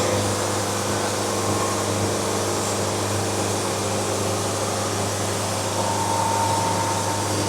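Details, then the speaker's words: Bandsaw sawmill cutting a board at very slow feed, about 5 bars: steady saw drone, low hum and thin ringing tone on top; band resonance from slow feed, lots of wave, nearly ruined board. "We got a lot of wave. Oh man, that's bad. Got a lot of band resonance."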